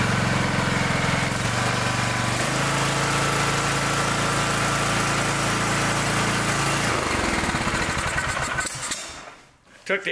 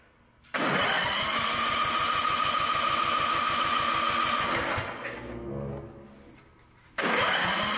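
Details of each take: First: Ride-on mower single-cylinder engine that had run like choke was on with fouled plug, reassembled and restarted (air filter later found plugged): steady, even firing about three pulses a second before shutdown; running normally. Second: Newer riding mower with the maker's own Chinese-made engine and electric throttle, which had been running very rich as if the choke was on: steady starter cranking for four seconds with no catch. Crank no-start.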